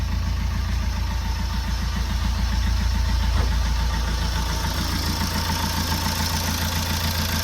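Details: Fiat 500 Pop diesel with replacement engine, after about 50 minutes running: even, steady idle with regular low clatter, no misses or hunting, little smoke left; one injector joint was slightly loose and was tightened.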